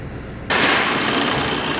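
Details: Maruti Dzire 2013 diesel with misfire and DTC P0201, after a temporary jumper fix to the injector wiring: engine catches abruptly and settles into a steady, even idle with no stumbles, misfire gone.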